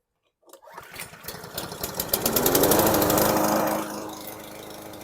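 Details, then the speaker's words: Junk lawn mower bought from a scrapper: catches at once, then runs unevenly, surging and stumbling instead of holding a steady beat; rough running with hesitation, carb clean planned. "So that was a complete surprise. So it ran a little rough. You could hear the hesitation."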